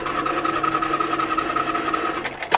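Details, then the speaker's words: 1993 Nissan Maxima at auction, 103-degree heat, jump-started: starter spins the engine fast and perfectly even with no compression pulses and no firing; broken timing belt, no compression. "It's literally 103 degrees out here today, and timing belt, no compression. Yeah, you can hear it."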